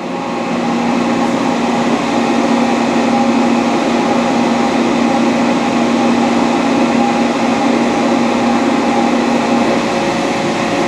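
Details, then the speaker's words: Dainichi Model H lathe with DC-drive spindle, taking a light cut that barely loads the spindle. Even, steady hum with a clean tone and no knocks, ticks or rumble; the spindle runs smooth: normal running. "as you can see it's got a lot of metal there to work with you can hear how smooth at Ron's"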